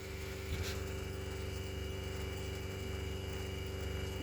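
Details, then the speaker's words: RV water pump mounted sandwiched between plywood, refilling with pressure rising to about 15-16, possibly some air in system: steady low hum with faint even buzz, no rattle or chatter; quiet, healthy pump. "i may have a little bit of air the wrong whole system i guess at this point but the pump is pretty quiet because i install it also i said you said it before i started on um on a sandwich between two pieces of plywood"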